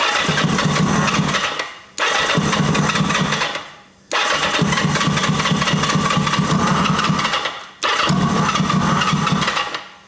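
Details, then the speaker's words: 1980 Kawasaki KZ750 with a carburetor gas leak: four roughly two-second bursts of the engine firing, each fading out as soon as the starter button is released. The owner suspects the ignition cuts with the starter button, unconfirmed; the engine dies when the starter is released. "It almost sounds like it's killing the ignition when I kill the starter button."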